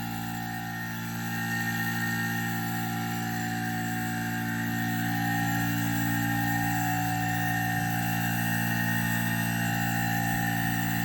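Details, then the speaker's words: Haier DC inverter AC tested in cooling mode for the E7 error: compressor starts, outdoor fan motor runs, steady even hum and fan whir with no knocks; E7 error cleared. "ये compressor की speed की आपको आवाज़ आ गई है। ये 7 का जो एरर है ये हमारा हो गया क्लियर जी।"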